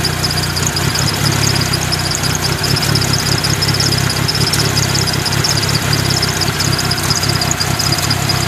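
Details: 1997 Mitsubishi Eclipse RS petrol engine at standstill idle: uneven, lumpy low beat with slight shake underneath. Owner notes it overheats when sitting still but drives fine; rough idle, cause unknown.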